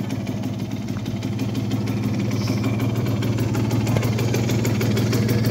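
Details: Tuned Simson S60/4 12V two-stroke motorcycle, 60cc four-port: steady, even burble with low regular beat, no misfires or knocks; normal idle.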